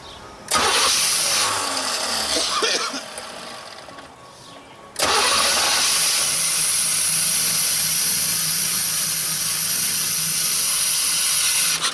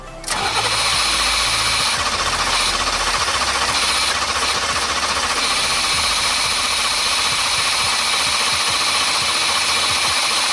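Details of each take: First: 1989 Formula, sat 3 years: with gasoline poured into the intake it cranks briefly, fires right up and runs steadily with no misfires; runs amazing, confirming the fuel pump is the only problem. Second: 1989 Formula, first start after sitting three years: starter spins briskly and evenly for ten seconds with no firing; owner suspects the fuel pump died, no pump heard, injectors corroded.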